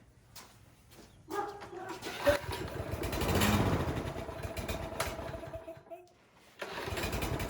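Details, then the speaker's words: Troy-Bilt 21-inch self-propelled lawn mower that sat outside, nearly empty tank, gas leaking, air filter on: engine catches and stumbles, surging and nearly dying; carburetor or automatic choke problem suspected. "It's kind of working. All right, let's take the air filter off and see if that makes any difference on the way it runs here."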